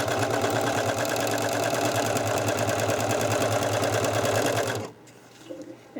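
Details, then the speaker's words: Serger sewing machine after cleaning and oiling, running fast: a busy, uneven clatter about three beats a second, then it stops; the source of the noise is unknown. "no it's still if you hear that noise I'm trying to figure out what that noise is"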